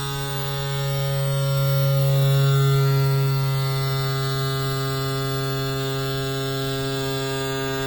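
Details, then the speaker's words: Yamaha F40 outboard trim motor, previously slow and loud, after trim cap, leak and motor service: steady even electric hum, clean tone, no labouring or grinding; trim runs smoothly and healthy. "Excellent, it's done. You can understand from that sound that this is ready."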